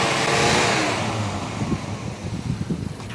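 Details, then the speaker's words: 1986 Ford Mustang GT 5.0 V8 convertible: revs sag from a blip into an uneven, stumbling low idle that keeps dipping as if to stall; it won't hold idle. A dirty idle air control valve is suspected, with a spacer kit as a possible fix. "I don't know if it'll idle though. See if it'll idle."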